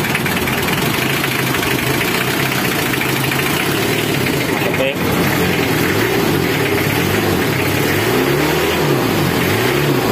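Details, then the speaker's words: Car idling with a damaged fuel injector not yet replaced, white exhaust smoke: continuous idle with an uneven, lumpy pulse instead of a smooth purr; rough idle from faulty injector. "aspek putih karena injectornya rusak Joe gede Kalau pagi mesinnya ginjal injectornya rusak lebih belum Belum diganti"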